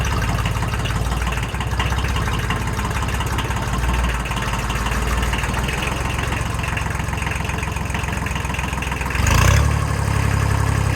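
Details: Kubota L1802 tractor with front loader, small diesel, after fixing hydraulic problem (suspected air in system; pump changed): steady, even low chug at idle, no hiss or airy whine from the hydraulic pump.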